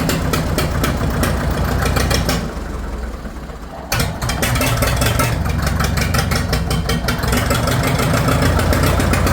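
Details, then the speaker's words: Farmall 650 diesel tractor just started, cold and warming up: chugs unevenly about 4 beats/s, sags then picks up; owner suspects air in the fuel lines or other issues, white diesel smoke. "She don't like that. Better warm up a little bit here. Fuel. So it could be air in the lines, or it could have some other issues going on."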